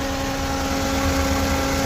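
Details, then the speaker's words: Freshly rebuilt engine at first start, timing redone several times, idling a few minutes in: tappet noise has faded, steady even petrol idle with no ticking under a loud radiator fan; normal idle. "A few minutes later, it sounds like the tappets are starting to go down a little bit. I don't hear any tappet noise anymore. To be honest, I don't hear anything."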